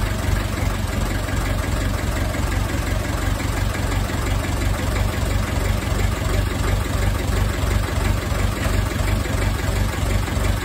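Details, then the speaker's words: Ferguson TEF20 diesel tractor, sat over 10 years, restarted after about 30 minutes bleeding air from the fuel system: steady even diesel idle with no knocks or misses, running smoothly. "well that answers that question didn't it will start again"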